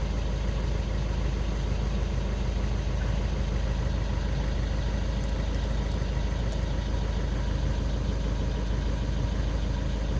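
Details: Skoda Octavia 2 diesel after crankshaft sensor (G28) replacement and fault clearing, cured of no-start/hard-start with glow plug light: steady, even low diesel idle with a smooth regular beat, nothing irregular; healthy normal idle.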